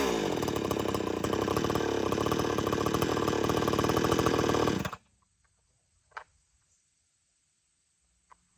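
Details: Old-school chainsaw restarted warm with switch on, one pull: runs a steady, even high-speed buzz for about five seconds, then cuts out cleanly; healthy normal running.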